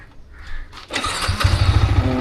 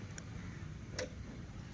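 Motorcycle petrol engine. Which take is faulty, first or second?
second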